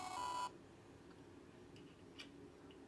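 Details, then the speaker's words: Failing hard drive under diagnostic testing: thin steady beep near one kilohertz for half a second in a quiet room, repeating, described as really annoying and sickly; diagnostic error beep, drive not in good health. "I'll tell you what that is definitely really annoying it's supposed to be a beat but it's actually going sounds really sickly"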